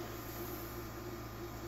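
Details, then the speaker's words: Geeetech MeCreator2 3D printer after its cooling fan was replaced with an 80mm Antec PC fan, recorded close to the printer: a soft, steady whir with a faint hum, far quieter than the original. The fan is running normally. "the print sounds a lot different I bring my meter over here close by so that right back where it was the very beginning right about there I can still hear it but it's nothing like it was"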